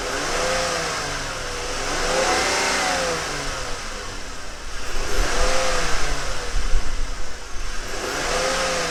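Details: Ford Flex 3.5L NA V6 started after a spark plug change with the intake reinstalled: revs rise smoothly through repeated blips and settle back each time with no stumble or miss; healthy, crisp start and rev.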